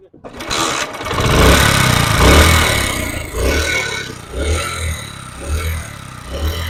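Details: Honda CD 70 single-cylinder bike, noise appearing once warm: loose, uneven clatter over the low thump, worn tappets with excess clearance; repeated tappet adjustment didn't cure it, faulty parts found.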